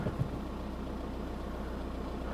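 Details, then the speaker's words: Abandoned auction VW Golf with a flat battery, first start after reconnecting a tampered connection: steady, even low idle, smooth unbroken rumble with no knocks or misses; engine sounds good, no engine management light. "So obviously battery's been flat, but seems to run. Engine sounds good."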